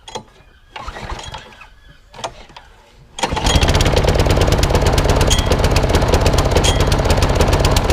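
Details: Old Masport lawnmower with a Briggs and Stratton engine, after a full service: quick chugging run that stumbles now and then with a slight miss; owner suspects the carburettor needs cleaning again, possibly the coil too.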